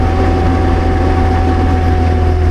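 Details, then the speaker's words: Amphibious diesel ATV bought at auction, belching black smoke: low labouring drone that never picks up under light throttle on dry flat ground, engine bogging and nearly stalling, absolutely gutless. "We're barely moving. It's almost dying. Oh, the tack's working now. Like, it's just absolutely gutless."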